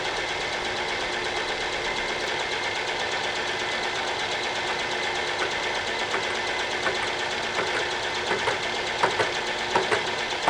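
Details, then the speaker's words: Machining a round hole in a wood chipper flywheel, 20 thousandths cut: steady hissy cutting sound with sharp ticks about once a second; the tool is cutting only part of each turn, hitting spots between welds, an interrupted cut. "Sounds interrupted, but it doesn't sound so crunchy. I'm actually hitting the spots between where the welds are right now."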